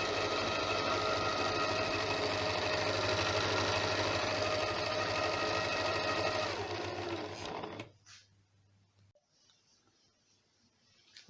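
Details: Janome sewing machine after being serviced for a running noise: smooth, even whirring with a fast, steady stitch rhythm and no knocking or grinding, then it winds down. It now runs healthy.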